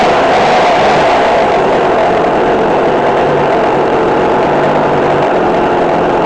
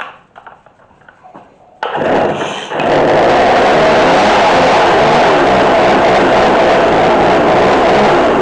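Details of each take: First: McCulloch Mac3216 32cc chainsaw with 16-inch bar, after carburetor adjustment (1/4 turn in, idle adjusted). A steady high-pitched two-stroke buzz at even speed with no hunting or stumbling; running smooth and healthy. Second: McCulloch MAC3216 32cc chainsaw with 16-inch bar after repair, during carburetor adjustment: fires after a few pulls and runs raspy and buzzing, idle set too low, idle screw needs turning up.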